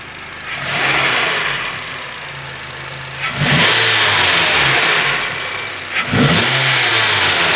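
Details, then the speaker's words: 2012 Honda CR-V after replacing the stretched, worn serpentine belt: three clean throttle blips rise and fall smoothly with no knock or tapping; the cold-start knocking is gone, engine sounds healthy. "pueden escuchar el problema se le quitó"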